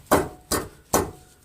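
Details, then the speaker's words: Dodge Neon, engine rocked by hand at the lower motor mount: three sharp metallic knocks under half a second apart. Overtightened bushing bolts squeezed the mount bracket so it strikes metal. "And sometimes if you bolt the bushings and the arms down too tight, this metal bracket sometimes will get squished so tight it'll start to hit this metal part."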